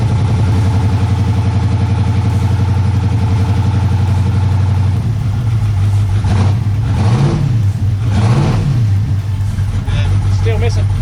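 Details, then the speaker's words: Turbo LS V8 that idles fine but misses under load, even after a carburetor swap, new crank trigger, sensors and coil pack harness: deep uneven rumble stumbling as revs rise and fall, still a dead cylinder, cause unknown. "missing. Still got a dead hole. Yeah."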